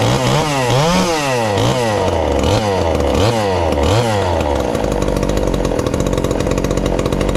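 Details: Ported 2375 chainsaw, low-compression build, on pump gas before methanol conversion: sharp clean throttle blips, then a hard steady scream at high revs; healthy and pulling strong.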